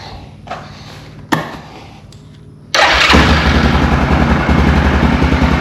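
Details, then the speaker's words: 2004 Yamaha Grizzly 660 ATV that came in with a no-spark condition, started after an oil change: quiet thumps, then the single catches at about three seconds and settles into a steady, even idle. Normal start and idle. "I'm going to let it run for a second. We'll definitely We'll let it run for a minute. Let everything circulate."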